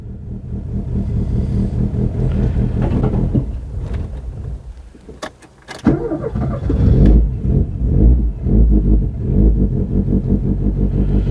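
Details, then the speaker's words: 1983 Ford Escort Mk3 parked since 1993, first start with choke: rough, lumpy idle that catches and stumbles unevenly, misfiring on three cylinders and smoking before it stalls; owner believes it is choked. "chạy quanh ba xi-lanh bị nghẹt, tôi đẩy cuộn cảm trở lại Tôi ấn nút điều chỉnh vào và nó bắt đầu chạy."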